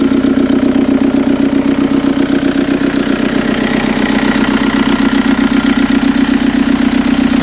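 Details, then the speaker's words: TDI diesel swapped into a Toyota pickup, fresh engine idling to warm up for break-in after a head gasket redo: steady, even clatter at about four beats a second with no misses or knocks; normal idle. "So the first step of the braking that I'm doing is I'm letting it idle to get up to temperature, and then vary the RPMs from like 15 to 2500."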